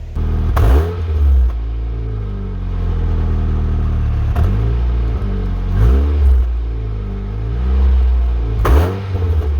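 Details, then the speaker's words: 2007 Saturn Ion after a low-voltage throttle sensor fix and battery-disconnect reset: the engine revs up and settles back several times, the electronic idle briefly hunting before steadying, smooth with no knocks; throttle control working normally. "so notice when I was throttling it I could hear it trying to adjust itself with the idle uh cuz like I said this whole car is all electronical it tells it when the when the adjust the gas when to not so I could hear it adjusting itself as I was idling"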